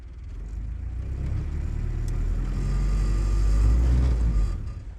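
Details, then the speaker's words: World War II Jeep four-cylinder, just started on newly fitted surface-discharge spark plugs: steady, fairly even low rumble with slight lumpiness; good idle, similar to normal, maybe a little less lumpy. "Very nice. Does seem like a good idle actually. Similar to how it normally idles, maybe a little less lumpy."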